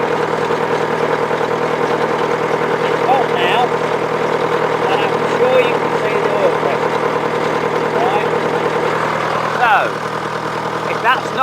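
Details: 1953 Nuffield DM4 diesel tractor, hot engine, driven very slowly on the road with an on-board camera: an even, unhurried diesel beat with no knocks or rattles; running great, normal.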